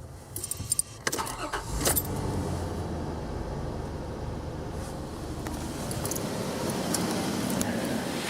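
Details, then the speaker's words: 2001 Infiniti QX4 3.5L, previously noisy serpentine belt replaced with a Dayco EPDM poly-rib belt: engine cranks, catches and idles evenly with no belt squeal or chirp; fix worked. "ate you then go ahead and start it up so you can listen and that way you can hear that there's no noise this fix did work"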